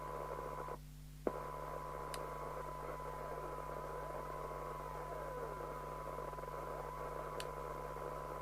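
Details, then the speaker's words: Eurosonic PT40 UK CB27/81 mobile CB radio after removing an illegal CEPT modification: steady, even static hiss with faint constant tones and no crackle or dropouts; receive is excellent, but CT1 could not be set properly. "well the receive is absolutely fantastic so but i've got to check it on frequencies because of that snag we're not being able to set ct1 properly"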